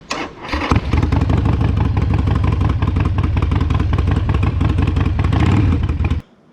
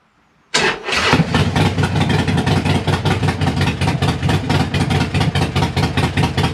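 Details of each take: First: Harley-Davidson Sportster V-twin idling after a 1900-mile, four-day trip, with lumpy, uneven chuffing and sharp puffs at the front header from a slightly leaking front exhaust gasket, to be replaced. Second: Harley-Davidson Sportster V-twin after replacing a leaking front exhaust gasket, with the O2 sensor reconnected: it starts at once and settles into a loud, even, lumpy idle with no ticking or puffing. It is still loud but much better than before. Normal start and idle.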